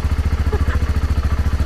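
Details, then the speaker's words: BMW G650GS single idling after main wiring harness replacement following a wiring fire: even thumping at about twelve low pulses a second, no misses or clatter; normal clean idle. "Bike is running. We got a new harness in. Awesome stuff. Ah, you love that sweet sound."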